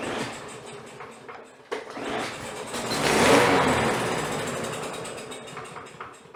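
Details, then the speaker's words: Troy-Bilt mower with a lot of oil down the cylinder, primed with starting fluid: pull start, a short burst of running that swells for a second or two, then dies; carburetor problem, it starts on the fluid and shuts off. "Well, we definitely have a carb problem. She's starting on the fluid and just shutting off."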